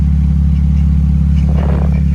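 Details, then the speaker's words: Deep, steady booming drone from underneath at idle on a 2013 Chrysler Town and Country; exhaust escapes from a resonator wide open at the back, and it quiets when a rag is wrapped around it, exhaust leak drone. "Look at this resonator. It's wide open on the backside, so I don't think it's supposed to be like that. So if I cap it off, it quiets down."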